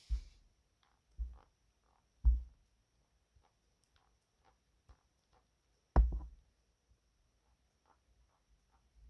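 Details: iPad Air 5th generation (blue), second unit received: soft, irregular creaks and snaps from the back panel each time it is gently pressed; build quality seems worse than 4th gen, cause not confirmed.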